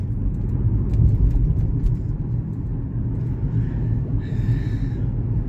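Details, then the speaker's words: Chevy Equinox test drive after repairing the ABS/AWD wheel-speed sensor issue: steady low road rumble with no grinding or scraping; an unidentified underbody rattle is suspected to be a loose shield; normal driving. "Yeah, she's doing good."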